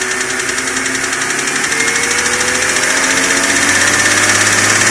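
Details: BMW M52 inline-six, hot, ticking only above 85 °C engine temperature, louder over last 6 months; tappets (HVA) and guides already replaced; hot oil pressure at cylinder head only 2.25 bar at 5000 rpm. Quick even light tick, tappet-like; source not pinned down.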